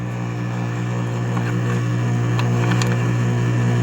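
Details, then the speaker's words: Small electric moped hub motor, over 1,000 km: steady low buzzing hum with a faint rough pulse as the motor strains but barely turns; a Hall sensor is suspected to have failed, with a phase voltage mismatch of about 1 V. "Это датчик хола отвалился при определённой той же самой ситуации."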